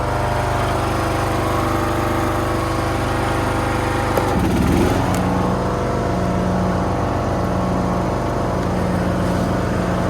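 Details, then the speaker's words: Toro Z420 TimeCutter zero-turn mower after motor swap with new carburetor and fuel line, mowing foot-tall grass: steady, strong drone holds pitch through a brief load dip and recovers cleanly; no bogging or stalling, runs good. "Runs good. Didn't bog down or stall or anything. And I'm sort of mowing the back 9 of the property, so this stuff's like a foot tall, and I was really putting it through its paces, and did great."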